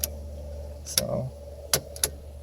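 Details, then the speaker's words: 2000 Dodge Neon ES 4-cylinder after snapping in a replacement signal/flasher relay: sharp, dry hazard-rate clicks over quiet idle; hazards now work. "oh you can hear them you can hear it already that's the hazard lights are all hazards yeah"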